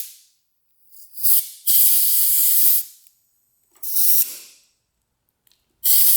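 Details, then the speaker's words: 2009 Kawasaki KX250F that won't start, leak-down test at about 15 psi at top dead center, engine stopped: short hiss bursts with quiet gaps, faint leakage, no bubbles at radiator, none from exhaust; rings, valves and head gasket hold well. "it's barely weakened no bubbles there so it's not the head gasket don't leaking out of the pipe not the exhaust valves it's just leaking out of here so there's very very little ring Blow"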